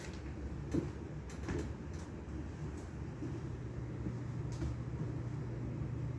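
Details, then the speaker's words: Vintage Norcold mini fridge with unusual Kawafuji swing-motor compressor, powered up after dust cleaning: a few clunks, then a faint, steady low hum, nearly silent once running; normal compressor running. "It's dead silent though. Once it gets going, you can barely hear it."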